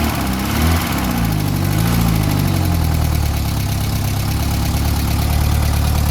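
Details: Classic VW Scirocco Scala after sitting 6 years, first start: steady, even idle with deep smooth pulse, no knocks or misses; running cleanly, some oil smoke smelled.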